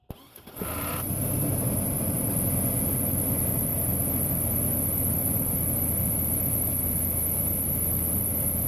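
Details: Engine jump-started from the repaired Stanley-type jump starter box (positive to B+ on fuse relay center, negative to engine ground) catches within a second and settles into a steady, even idle with no misses; running normally.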